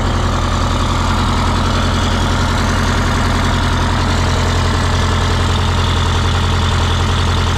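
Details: 1977 MCI coach with 8V71N Detroit two-stroke diesel after freeing three stuck injectors that caused a runaway: steady even idle around two pulses a second with blower roar, no misses; about 50 psi oil pressure, warming up; normal idle.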